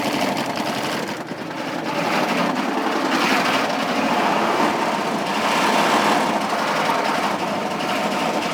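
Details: Chevrolet K3500 6.5 diesel at idle, no throttle input: a sharp, uneven clattering knock, three to four per second. It has 45 psi oil pressure while cranking, puffs smoke, has blow-by, rising oil level, and surges. Owner suspects a rod knock, cracked piston, spun bearing, or head gasket.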